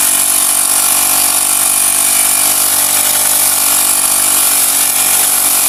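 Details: Honda GX35 grass cutter after cleaning its dirty carburetor; spark plug, fuel filter and clutch were fine: steady high-pitched buzz holding even with no misses or surging. Normal running.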